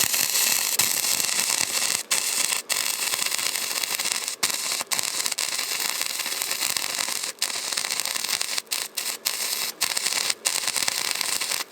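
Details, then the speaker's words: Harbor Freight Titanium 125 flux-core welder repairing a John Deere 210LE loader: harsh frying crackle with irregular pops and brief pauses, from welding back over slag-laden metal just laid down: slag contamination. "a lot of slag in that you hear it's like popping K that's the stuff it's like it's going back over the stuff that I just put down"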